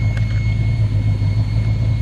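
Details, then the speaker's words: Luhrs 28 boat with newly rebuilt carburetor, just started cold with air filter off: steady, even low rumble settling into a smooth idle with no misses or knocks; carburetor not spilling over. "the carburetor is looking good no spilling over"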